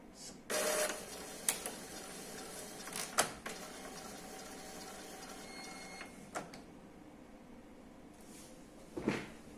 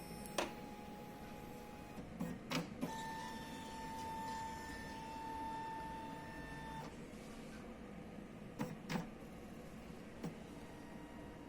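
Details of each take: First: Epson L3150 printer, after repairing the gear that caused paper jam and general error: short motor whirs and light clicks as paper releases and carriage reads, no grinding or error; normal startup. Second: Epson L3150 printer copying: carriage movement out of sync, whirs and strains with thin whine and sharp clunks at paper pickup then stops, giving general error with all lights flashing; loose carriage encoder disc.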